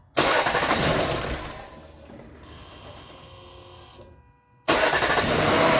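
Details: Lexus LS460 after starter replacement, first startup: brief crank, then engine catches cleanly and settles into a steady, even idle with no starter grinding.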